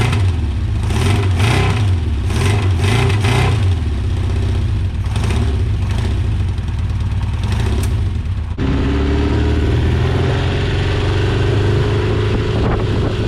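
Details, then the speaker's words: 1982 Honda CB750K running for the first time in years after carb cleaning, with pod filters: blips and revs unevenly, then settles to a lumpy idle; the carburetors need tuning. "So it is running. It does need a little bit of tuning. Like I said, the carbs were just kind of thrown in there for now."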